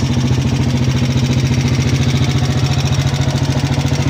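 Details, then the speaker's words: Motorcycle at idle: loud fast even metallic rattle, about three and a half beats a second, like coins shaking inside; top-end clatter, repair planned next day. "Mga idol, sobrang ingay ng Malagitik. Malagitik ang motor ni Kuya."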